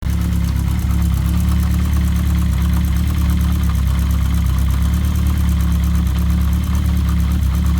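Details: Kawasaki GPz750 Turbo engine at idle; fast, even metallic rattle on top of the engine note; cam chain noise.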